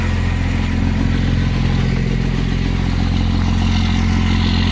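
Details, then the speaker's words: 1999 24-valve Cummins diesel, first start after sitting 2+ years, injector lines cracked to bleed: even diesel clatter at about three beats a second with a steady low drone and no misses. Good oil pressure and a little blue smoke; a healthy idle. "A little bit of blue smoke. Sounds pretty good. Boy, I'm happy with that."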